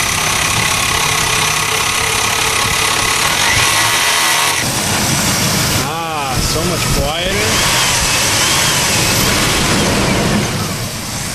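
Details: Oldsmobile Bravada on a cold winter night, test start after replacing an alternator whose rear bearing failed. The starter cranks briefly, then the engine settles into a steady, even idle with no whine or rattle from the front; normal idle.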